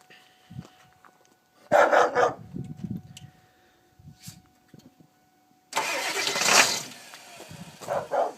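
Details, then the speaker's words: 1999 Ford 7.3 Powerstroke diesel with bad glow plug relay (relay jumped): two bursts of starter cranking with pauses, engine not catching yet; hard start, long cranking. "be well YouTube we've got another 73 and the son of a has another bad glow plug relay so here's another hard start we already been trying to crank on her"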